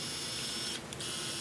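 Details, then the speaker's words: Miniware ES15S electric screwdriver after cleaning and lubricating its metal gears to fix noise, impact setting off; brief, light, even high-pitched whir with no clicking or grinding; normal motor and gearbox run. "perform."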